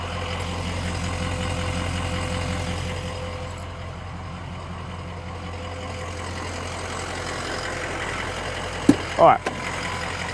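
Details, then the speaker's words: 2004 Ford Excursion Limited 6.0L Powerstroke diesel 4WD, 202k miles, believed never tuned, heard from outside in light rain: steady, even idle with no stumbles, knocks or odd vibrations; healthy, well-maintained engine. "it idle good it feels healthy doesn't have any weird vibrations that idle or anything like that this feels like a very well-maintained healthy 6 L power stroke diesel"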